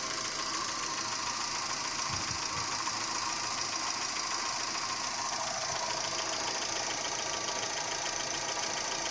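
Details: Daewoo Gentra engine at steady idle: a light, fairly regular tapping of about three taps per second rides over a hissy background; engine knock, source undetermined.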